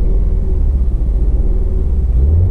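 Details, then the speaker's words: Auction car with service engine soon light on: lumpy, uneven idle with a low rumble that dips and surges, sounding like a dead cylinder; feels jerky in gear; dead cylinder suspected, not confirmed. "okay so this thing sounds like a dead cylinder"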